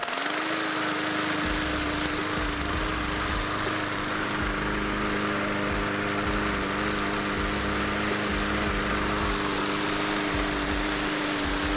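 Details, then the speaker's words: MTD 20-inch mower with Briggs & Stratton 300E 125cc engine after carburetor cleaning and plastic main jet repair, air filter not yet fitted: a steady, even single-cylinder drone with no surging or misses. Normal running. "i am all that is mad listen to that neighbors listen to that you've been watching me all evening"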